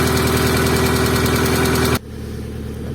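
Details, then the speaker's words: Opel C20XE engine in a Moskvich, just after cleaning the hydraulic lifters, cold start in freezing weather: quick, light ticking about four per second over the idle that periodically fades. Oil pressure is normal and the lifters are pumping up. "давление масла есть со нормальная гидрик периодически затихает оно прокачивается что вот уже гидрид прокачался"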